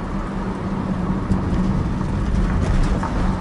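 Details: Toyota Corolla with check engine light on, road test with automatic transmission over potholes: only dull tyre thumps and road rumble, no metallic knock or clunk; suspension sounds tight.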